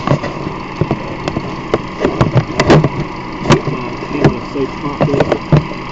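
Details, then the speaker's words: 2006 Mazda 3, camera near the running engine: irregular lopsided beats, one cylinder dropping out; low compression in cylinder 1 from a head gasket blown between cylinders, identified by disconnecting coils. "you can hear an obvious drop in the cylinder pressure. But I mean, from experience, I mean that's what you'd be able to hear if there's a cylinder low on pressure. It wouldn't sound flush."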